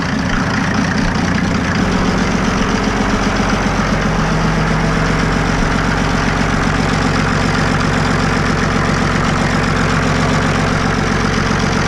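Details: Mercedes OM603 diesel in a Ford Ranger (Doomsday Diesel adapter, ZF5 transmission), first start, cold and warming, slight throttle held by hose in linkage: even diesel clatter about four beats a second, no misses or knocks; healthy idle, good oil pressure.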